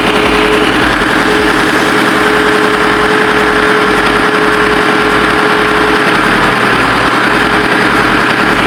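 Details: Ford 6610 tractor diesel at constant idle just after overhaul (4 new liners and pistons for smoky running) and hydraulic O-ring kit repair; steady even chug, no knocking or misses, running healthy.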